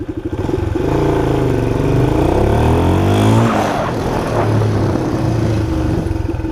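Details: 1976 Honda XL175 single-cylinder, just revived with a used coil, washed and warmed up: thump climbs cleanly in pitch as throttle opens, pulling through without stumbling or cutting out; owner earlier felt a misfire under hard throttle, suspecting a weak coil. Normal acceleration.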